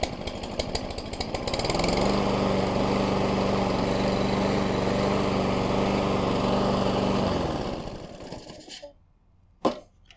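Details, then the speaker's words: Toro Recycler 22-inch mower with a replacement Ready Start carburetor, restarted warm: ragged, stumbling run for a couple of seconds, then a steady drone; starts rich, a clean air filter shortens it. "That's what it does, it still starts, but it starts kind of rich. I do know, keeping this air filter, here, clean helps it a lot otherwise sometimes it'll do it for 30 or 45 seconds."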